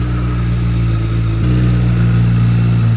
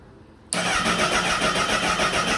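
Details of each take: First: 2008 Honda CBR1000RR, first start after purchase: fires right up into strong, even low drone with idle fluctuating a bit high; smooth, no mechanical noises from the motor. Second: 2008 Honda CBR1000RR, first start attempt with vacuum lines disconnected: the starter spins steadily for about two seconds and the engine never catches, a crank-no-start later suspected to come from an unplugged tilt sensor.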